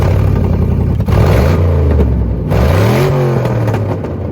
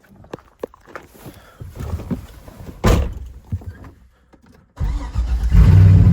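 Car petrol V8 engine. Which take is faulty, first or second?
first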